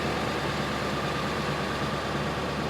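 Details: Late 1999 Ford F-350 7.3 Powerstroke diesel idling near 1100 rpm after engine wiring harness replacement, 20-degree intake air, battery 13.6 V, 2.3 ms injector pulse width; steady low clatter with faint constant whine, no stumbles: normal idle.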